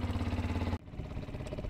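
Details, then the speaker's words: Yamaha WR125 single-cylinder motorbike warming up before oil change, idling too fast: fast even thumping well above normal idle; cause is a split boot on the inlet manifold letting in air. "I just realized this or just noticed this bike ticking over quite quickly what we've done is just looked on the carburetor well not the carburetor but the inlet manifold and the uh the boot on the inlet manifold is split"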